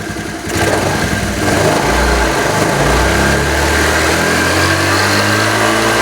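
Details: Honda Vario 110 scooter that previously would not take throttle, after a stator coil fix, battery connected: it revs up cleanly through several blips with no bog; the stator still seems faulty but it now takes throttle.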